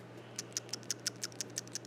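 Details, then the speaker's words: GMC V12 PCV valve from under the valve cover, shaken by hand: light, crisp ticks, about six a second, from the loose check ball inside, as it should be; normal rattle. "this right here is that little pcv valve uh it's kind of weird it's that it's under the valve cover but there it is and sure enough it's got a little check ball in it because"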